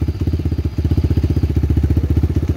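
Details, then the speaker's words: RFZ20 125cc dirt bike, single-cylinder, idling with a steady even putter and no misses or knocks. The idle is judged fine and needs no screw adjustment. Normal idle. "like right now it's idle fine here idle sounds good um"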